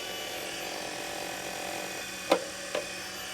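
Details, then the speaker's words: TurnCrafter Commander 12-inch lathe after a control board repair (bad MOSFET replaced): steady mid-pitched motor hum with a couple of stray clicks while turning up the potentiometer. The vibration comes from the unbolted base; the lathe runs normally. "okay turning the potentiometer and that noise is just this little fatherly and vibration and don't have this bolted down or anything"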